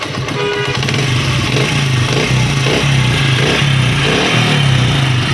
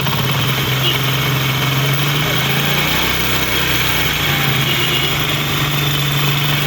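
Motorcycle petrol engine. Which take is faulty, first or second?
second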